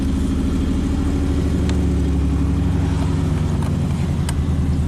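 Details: 1995 Chevy Camaro V8 after a no-crank fault; aftermarket security system found as cause, starter solenoid drawing about 8 amps: strong, steady rumble with an even firing beat, no knocks or misses; healthy running.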